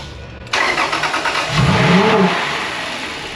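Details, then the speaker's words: 2004 Toyota 4Runner 4.0 L V6 with a cheap replacement engine, first start after install: brief crank then engine flares high and never settles; gas pedal held to the floor by the floor mat. "The gas pedal was held to the floor with the floor mat."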